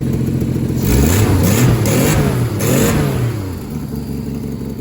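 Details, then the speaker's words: 1963 Plymouth Valiant slant six converted to EFI (turbo build), cold start, 38 psi fuel pressure, big exhaust leak, O2 sensor likely fouled: idle hunts, revs swelling and sagging before settling rough, and it stalls on first idle-down; owner concludes the injectors are too large for idle. "okay so I think we've learned that these injectors are indeed too large for this engine at idle it can't pull enough fuel out to like be happy it's close it's right on the bleeding edge"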